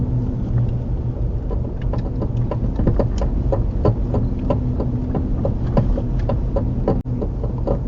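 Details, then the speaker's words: Nissan Murano, passenger-side rear, mic in the back, driving at low speed in a cul-de-sac: irregular dull clunking and light creaking over road rumble, from a bad rear shock mount. "When I shake the car back and forth, you could hear it a little bit better. But it's just a little clunking, creaking sound, I should say, maybe."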